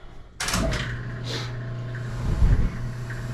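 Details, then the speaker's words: 50-year-old boiler after relighting pilot, fired up: sudden soft whoomp on ignition, then steady low even rumble with no popping or flutter; burners firing normally. "There she goes. Let's run it for a little while. Make sure that this actually starts heating and that the return starts coming back somewhat warm, and should be good to go."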